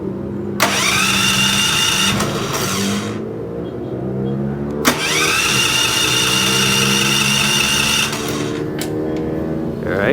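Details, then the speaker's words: 3000-watt dual-fuel electric-start portable generator: starter whirs steadily for a few seconds, twice, with no catch or firing; won't start with the fuel selector switch in the wrong position, starts once switched the other way. "all right so that doesn't seem to work let me switch this the other direction just to see if that's what I'm doing wrong"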